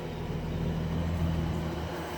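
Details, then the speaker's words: Barn-find 1971 Chevrolet Chevelle straight six, three-speed on the column, hood up: low, even rumble with a steady beat and no knocks or misses; healthy normal idle. "okay this is the chevelle 71 i got the hood's popped right now but i wanted to hear it run listen to a run it's a straight six three speed on the column"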